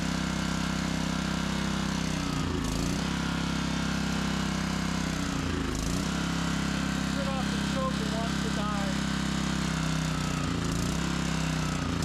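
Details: Old barn-find Generac generator after long storage, spark plug clean: engine hunts and sags every few seconds, barely holding speed on choke and dying without it; suspected fuel starvation, dirty carburettor or grimy tank.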